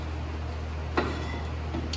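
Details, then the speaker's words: 2007 Chevy Cobalt rear drum brakes, new shoes: faint light ticks over low hum as the star-wheel self-adjuster ratchets; still far from adjusted, sound changes as shoes tighten. "because sometimes there's a long way that you're going and you can hear it clicking. When you hear the noise change, or if it gets a little tighter, you know you're getting closer to being adjusted."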